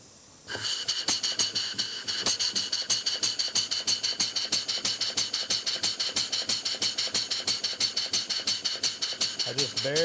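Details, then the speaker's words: Model steam engine running on compressed air, slide valve set only by sight: brisk chuff about three per second with unequal alternate beats, one side louder; valve mis-set, exhausting unevenly. "it sounds like exhausting more on one side than the other so this is gonna be a little bit by trial and error here"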